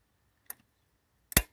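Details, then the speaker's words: Isuzu Trooper/Holden Jackaroo 4JX1 (UBS73), relay pins jumped with heater blower and AC on: light click as fan starts, then heavier thunk as AC compressor clutch engages; normal clutch engagement. "so first thing when i jump of these you're going to hear the fan turn on and the second click was the air compressor clutch engaging clutch out"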